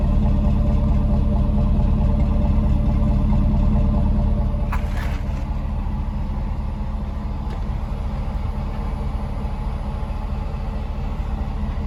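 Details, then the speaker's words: GMC Yukon Denali 6.0 V8 idling: smooth even rumble with a steady high-pitched whine, almost blower-like, riding over it; normal for these engines, all owned ones did it. "these things have a really nice whine to them. They go like when they're idling. It sounds pretty cool. It almost sounds like a blower kind of, but it's like a high-pitched whine."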